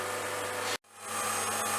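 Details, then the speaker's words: Turbomolecular pump evacuating a gassy 4B/603E radar tetrode valve through its opened pinch seal, heard almost at its full speed of 50,000 RPM. Steady, thin, high-pitched whine at even pitch over a rushing background. Normal running. "I'm able to hear the turbo pumps now almost at full speed. These rotate at one heck of a speed, so 50,000 RPM."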